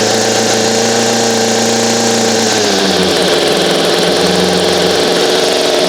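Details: Echo two-stroke string trimmer after installing a new aftermarket carburetor, grommet and air filter, cold start with primer: buzzy note holds steady, pitch shifts, then settles into an even run without stumbling.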